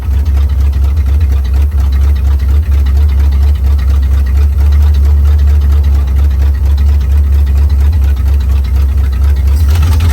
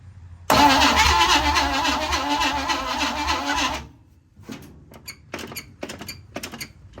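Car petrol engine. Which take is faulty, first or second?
second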